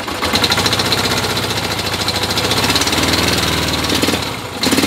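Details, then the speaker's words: 1975 Yamaha XS650 twin, long parked, kick-started due to weak starter, carbs recently worked on: lumpy uneven idle with dropped beats, misfire heard; cause not confirmed. "you can hear how bad that starter sounds you can hear the misfire right now"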